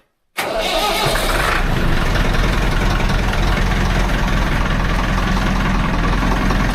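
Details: Farm diesel on block heater, above-freezing weather after two months of frost: brief crank, catches at once, settles to a steady even idle with no misses or knocks; starts cleanly.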